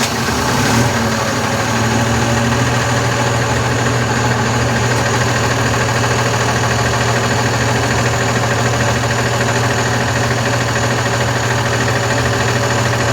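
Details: Constellation 19320 truck diesel after rebuild with new piston and rebored cylinder: steady idle with low heavy drone and faint uneven tapping about three times a second; brake air compressor is broken and knocking, not building pressure on the dash.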